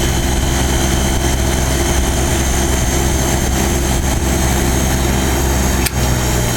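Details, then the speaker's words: Vintage Norge-made Montgomery Wards 25-pint dehumidifier, about 1969–1970, starting up on a fan setting between speeds. Its rotary compressor gives a smooth, even low hum with a steady throb, like a refrigerator, with no knocks or rattles. It is a healthy compressor. "get a reciprocating compressor in it now to rotary compressor so it sounds like a refrigerator"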